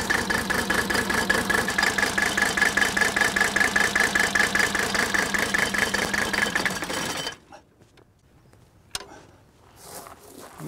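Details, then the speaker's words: Diesel idle test on a 1983 Mercedes 300D, whose engine was said to be dead: uneven, lumpy clatter at idle, then it cuts out. Injector lines are cracked one at a time to find the misfiring cylinder; cylinders one and two firing. "I'm gonna crack one fuel injector line at a time while the engines idling and if there's no change and sound that I know that particular cylinder is misfiring"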